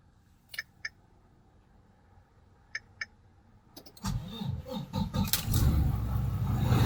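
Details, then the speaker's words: Volvo D13 diesel highway tractor (VNL) after repairing a hard-start problem with new injectors and a new water separator filter: brief crank, fires straight away on one kick and builds to a steady idle; normal start. "Okay, so it's one kick. So it's one kick, YouTube."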